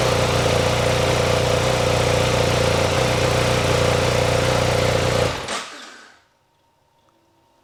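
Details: Motorcycle idling steadily and evenly for about five seconds after a jump from a powerbank via the Chigee TR100 reverse charger (battery raised from 12.1 V to about 13 V), then shutting off cleanly; runs fine, no misfire.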